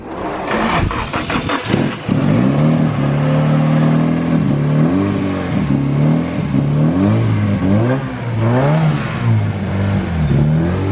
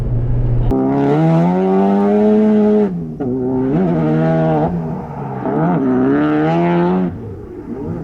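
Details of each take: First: Engine after re-gasketing the timing chain tensioner with a new nut and refitting the valve cover (earlier a zip-tie dragging noise when the clutch was engaged): fires and runs steadily, smooth rising and falling revs, no top-end rattle or knock. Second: Car driving uphill made a light dragging rattle like dragging zip ties, only with the engine engaged, gone with clutch pushed in; note rises and falls with throttle.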